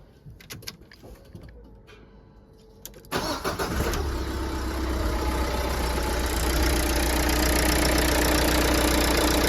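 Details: Mercedes Citan 1.5 dCi diesel, 86,000 miles, first start after timing belt, water pump and fuel filter replacement; catches cleanly and settles into even, steady idle with no knocks or misses; healthy.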